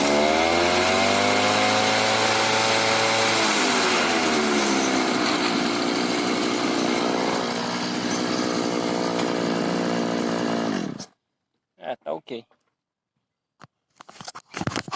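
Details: Makita RBC 411 brush cutter after repair of a broken clutch spring (it had shaken and made a strange noise after the blade hit a branch): high buzz revs up and holds even for ten seconds before cutting off, no shake or rattle; healthy.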